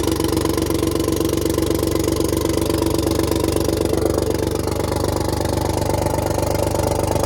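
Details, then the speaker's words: 6V92 Detroit Diesel bus engine on a cold start while checking the rack and valves: rough, loping idle at about four beats a second, still missing on a couple of cylinders. "There it goes, there. Okay, it's still missing on a couple. I can tell."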